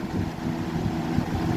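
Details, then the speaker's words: 1994 Lakewood Comfort Edge model 200i box fan (motor 60 Hz, 2.1 A) on 122 V, high speed: a steady, even whoosh with a low hum and no rattles or ticking. It runs well and moves decent air. "We're going to start it up on high. The thing runs pretty good. Moves pretty decent air."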